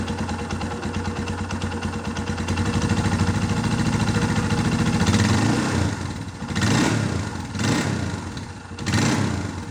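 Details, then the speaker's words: Used Scorpio Z big single-cylinder motorcycle held at high RPM on a pre-purchase check: a steady beat climbing with the throttle, then clean blips, with no pinging or metallic tek-tek knock (which would point to the clutch housing), so the engine is healthy. "Nah, ketika teman-teman mendengar suara mesin masih adem terus, nggak ada suara-suara aneh ngelitik atau benturan besi tek tek tek tek tek tek tek tek tek tek tek tek tek gitu."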